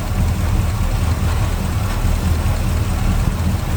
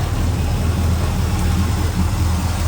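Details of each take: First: Small-block Chevy V8 with hydraulic lifters, idling with a deep steady rumble and a light quick ticking chatter as a rocker arm is deliberately loosened to excess valve lash before being tightened until it stops; valve train chatter. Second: Small-block Chevy V8 (hydraulic lifters) idling right after rocker arm valve lash adjustment while running, done to cure valve train chatter: steady deep rumble, valve train now quiet, no ticking; may need a little timing.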